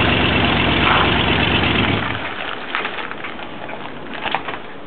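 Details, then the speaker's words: Engine: rough, uneven idle for about two seconds, then it drops off and dies, leaving only faint rattles; stalling at idle, cause unknown. "se apaga."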